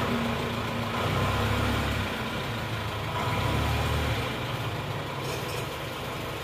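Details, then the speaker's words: Diesel engine of a Panther (AE 1558 vehicle), after an engine rebuild with new timing gears and a slight retard of the injection pump timing: steady, even clatter swelling smoothly when revved, no knocks or roughness; running smooth again. "tapi gak apa-apa yang penting suarnya sudah halus dan Oke lagi gas-gasan"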